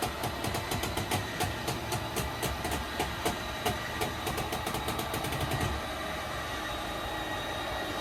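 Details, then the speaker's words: Schwintek RV slideout after Lippert replaced one side: even motor drone drives the slide in smoothly; sharp crackles early on are ice from snow on the topper and stiff cold seals, not the mechanism. "listen for the difference in the sound and you'll see how it just goes out really nice and smooth"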